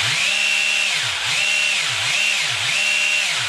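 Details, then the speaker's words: Arrma Senton BLX 3S RC car after cleaning and maintenance, with both cooling fans cleaned, run at 100% throttle limit: a high, smooth electric whine rising and falling in bursts of about a second each, clean motor running. "Donc je suis au niveau bridage, donc 50%. Voilà. 75%. Et 100%."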